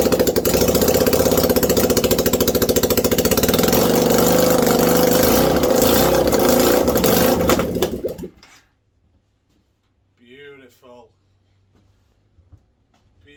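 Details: 1989 Yamaha Virago 535 V-twin after 4 years parked, no exhaust, on choke: loud, rapid, even open-pipe beat rising with throttle, then cut; runs cleanly and strongly.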